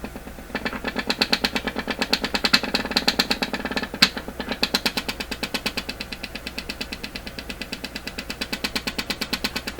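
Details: Stewart Warner R514 tube radio during an IF sweep to check IF alignment: sharp regular ticking about three times a second with a hissy edge as the set breaks into intermittent oscillation again.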